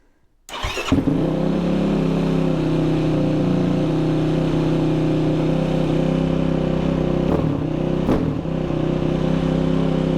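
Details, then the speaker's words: Yamaha ATV in neutral right after an ECU flash tune and an idle-screw adjustment: it starts and holds a fast, steady idle with no dip. The idle is set too high and needs turning back down. "thing okay so you guys can hear that difference really high idle so now I can go back in put my leads in I'm going to back that thing down and then I want to get it right in The Sweet Spot"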